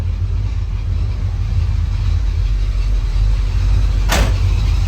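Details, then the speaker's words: 1979 Buick Regal, running after a tune-up and rewiring: steady, even low rumble with no misses or knocks, one brief click near the end; running smoothly. "all right YouTube you got it running s real good now"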